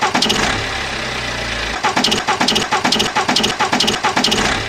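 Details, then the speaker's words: BMW N47 diesel startup: on cranking and first firing, a quick run of sharp rhythmic chirps, only at startup for past few months; owner rules out belt or tensioner since not consistent; traced to the alternator, alternator replaced. "and as you heard it literally is right on startup as the engine is first turning over and yeah so i'm led to believe that it is not a belt or an automatic tension issue or something like that"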